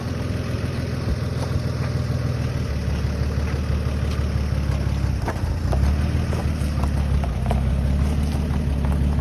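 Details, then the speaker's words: 1957 Chevy truck stored for decades, first start after refilling the tank and its old fuel pump feeding the carburetor: low, steady idle with an even, unhurried beat, no knocks or misses; running cleanly. "so we plugged it into the carburetor and it fired up and"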